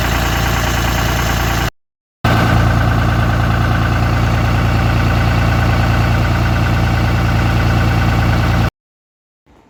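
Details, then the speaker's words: 2013 Ram 3500 Cummins diesel after cylinder head replacement (driver overheated it): steady, even clatter at idle, no knocks or misses; no pressure or boiling even at high idle; small oil leak noted; runs smooth and healthy. "all cleared up no pressure even under high idle no boiling Run's good"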